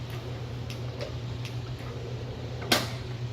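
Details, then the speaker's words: Silver Ticket SIE in-ceiling motorized projector screen retracting after top-limit set-screw adjustment: steady low motor hum with light ticking, then one sharp click stopping perfectly flush at the top; normal retract. "That sounds good. That's a good sound. Perfectly flush and exactly where we want to be."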